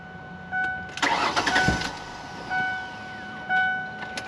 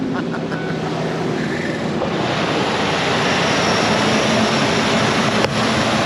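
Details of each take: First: 2001 Ford Explorer crank no-start: about a second of starter whirring that never catches, then door chimes; fuel pump relay swapped with no change, fuel delivery fault suspected, to be checked with carb cleaner in the intake. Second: 2001 Ford Explorer started after a fresh battery and a jumper, with fuel at the rail: steady, even idle hum with no misses, knocks or surges, and it is charging; it later died on a test drive.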